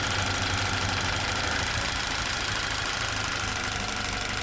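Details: Toyota Verso 1.8 2ZR-FAE Valvematic, 180,000 km, petrol/LPG; rough uneven idle with irregular knocking stumble about three times a second; engine shakes, occasional cylinder 4 misfire; compression ~13 bar, plugs, coils, injectors OK, no codes; cause unknown.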